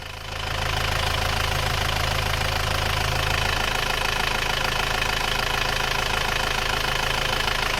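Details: 2016 Isuzu Panther GT diesel after engine overhaul (liners flipped) for smoke and oil from the dipstick, warm, no leaks, temperature normal, before road test: steady even idle clatter, no knocks or misses; normal idle.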